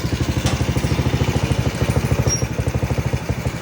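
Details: Rusi Kracken 110 single-cylinder motorcycle engine idles with a steady, even low putter and no misses, after a camshaft part was removed and the flooding carburetor replaced, curing the earlier valvetrain clatter and misfire; normal idle.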